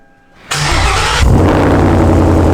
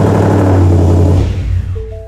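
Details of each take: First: 2017 Ford Mustang S550 with MBRP exhaust, new charged battery, after the battery drain wiped the PCM and it was reflashed with its tune: brief crank, clean catch, steady deep idle with no misses; normal start and idle. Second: 2017 Ford Mustang S550 with MBRP exhaust, new freshly charged battery; engine catches, idles a second or two, then dies after three seconds with dash chimes, because slow battery drain over winter blanked the PCM, later rewritten and tune reflashed.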